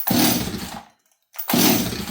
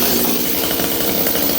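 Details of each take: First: Stihl 026 chainsaw left sitting three days, on full choke, with the tank vent checked and parts new. Four rasping pulls fade without the engine catching; it cranks but won't fire. It has long had worsening starting problems; cause unconfirmed. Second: Old Stihl 026 chainsaw after repair for not running: held at wide open throttle it gives a steady, full, rich buzz with no rise in pitch or hunting; doesn't lean out, normal wide-open throttle.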